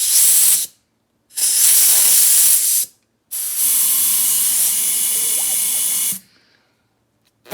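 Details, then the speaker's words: Volvo LM225 snowplow with no brakes: compressed air fed into the brake check valve gives three sharp hissing bursts that cut off cleanly. The valve pops open and passes air, with no backflow. Check valve opening normally. "I'm going to put compressed air in one of these holes, and the valve, you steer it, pop open, and should blow."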